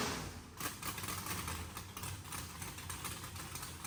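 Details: Mississippi Queen after its first start following fluids, oil change, plugs and fuel flush; exhaust had blown out water. Rough, busy idle with fast ticking patter over a low steady rumble. Judged healthy; needs throttle blade, fuel pressure sensor erratic.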